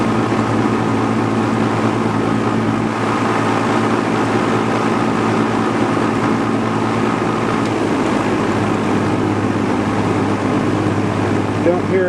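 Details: Vintage all-metal Duralux box fan with a Westinghouse fractional-horsepower motor, which spins freely. A steady low hum with a constant buzzing rattle is heard on high speed; the noise stops when switched off. No clear oiling point; cause of the motor vibration not yet found.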